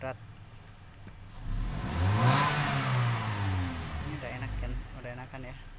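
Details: Toyota Kijang Innova petrol after spark plug change and injector cleaning without removal, previously heavy throttle; engine climbs smoothly from idle to a quick rev and settles without stumbling, throttle now light, normal.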